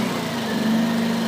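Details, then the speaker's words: Generator started by pull cord after the choke is pushed fully in, following a rough first attempt on full choke: a steady, buzzy drone with no stumbles. Normal running. "push in the choke fully and try again on the starter cord at this point the engine should start"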